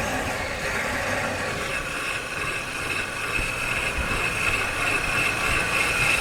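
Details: Car driven with a microphone mounted: harsh, rough grinding with a thin metallic squeal over road noise while braking. Brake pads probably worn to metal, damaging the disc.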